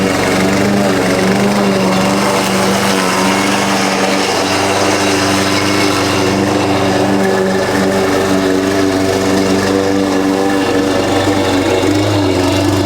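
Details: Husqvarna push mower that sat over 4 years, after a clean carb and correct oil level (Rotella T6): steady even single-cylinder drone, no misses or surging; runs much better, a loose blade suspected rattling underneath.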